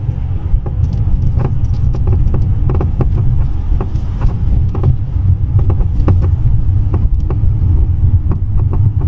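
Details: Mercedes-Benz C-Class on rough road, irregular sharp knocks over heavy road rumble from the right front; right front strut sat at a different height than the left, so the strut was removed and refitted and its top rubber mount replaced.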